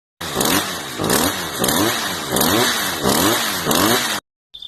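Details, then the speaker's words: Stihl FS55RC string trimmer after slackening the throttle cable to cure high RPM, before carburetor adjustment: small two-stroke blips up and drops back, settling cleanly each time; idle speed is back to normal. "and now that the RPM is uh back to normal let's go ahead and adjust the carburetor so it's nice and smooth"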